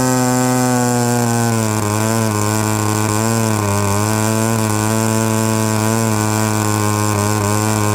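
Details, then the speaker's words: Byron Christen Eagle RC model plane with Quadra 50 gas engine, first run after 25+ years sitting; steady high-pitched buzzing note holding even speed with slight wavering: running cleanly and healthy. "Listen to that. 30 years she's been sitting. She fired right up."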